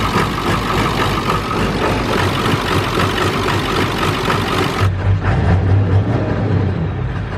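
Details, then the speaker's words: Ford diesel truck first running on its own power while purging air bubbles from the fuel system, with white smoke: uneven, lumpy idle with missing firing pulses, as if on only a few cylinders. Cause not yet diagnosed. "My truck's running. There's white smoke and it sounds like it's only running on a few cylinders. I don't like that noise."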